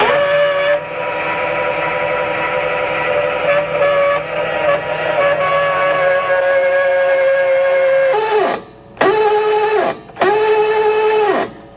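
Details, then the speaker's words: Airstream trailer jack run up and down after the old grease was wiped off and silicone sprayed on: a steady high-pitched squeal rides on the motor each cycle, despite the parts inside already being lubricated; source suspected, not confirmed. "It actually sounds like the noise is coming from here, though. And I've already lubricated everything in there."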